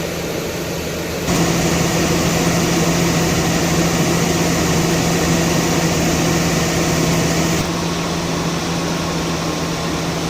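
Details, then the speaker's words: Mercedes-Benz S280 after A/C repair (leaking refrigerant hose replaced, compressor oil topped up, new drier and O-rings): engine revved, steady even compressor hum and smooth electric fan rush with no knocking or squeal; previously noisy compressor now quiet, normal A/C operation. "เสียงการทำงานดีครับเร่งเครื่องหน่อยครับอ่ามีพัดลมไฟฟ้าทำงานตามความร้อนระบบแอนะครับ"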